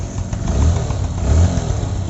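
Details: Honda Livo motorcycle engine revving after its engine sound problem was repaired: a low, even note rising and falling smoothly with the throttle, no knocks or rattles; the bike runs healthy.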